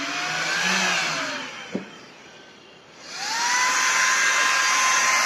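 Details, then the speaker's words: 12 V fan for a homemade metal-melting furnace, run from an adjustable power supply: a smooth whine that spins up, dies away, then climbs back to an even high-speed hum without rubbing. The fan is powerful, adjustable up to its 12 V rating, and runs normally. "Queste ventole sono veramente potenti. Fanno un getto d'aria veramente potente e si possono regolare da pochissimi giri a, appunto, fino ad arrivare, io mi fermerei a 12 volt che è la loro tensione, ma reggono anche di più."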